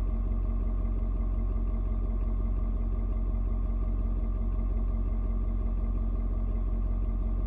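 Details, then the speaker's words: Ford Super Duty 6.7 diesel, cold start at 56°F, after adjusting its fuel mix to the temperature and mellowing. Steady, even clatter at a settled cold idle with no misses, knocks or hunting while warming up. Normal cold diesel idle. "you can hear the truck engine kind of doing different tones what it's doing is it is reading and figuring out temperature outside it's trying to figure out you know um how much fuel to mix with the air so it's found it's uh it's point where it needs to be that's why kind of mellowed out a little bit now"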